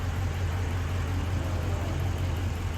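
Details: 2014 Dodge Charger Hemi V8 at idle: deep rumble with an uneven, lumpy misfire pulse, during compression testing and labscope diagnosis.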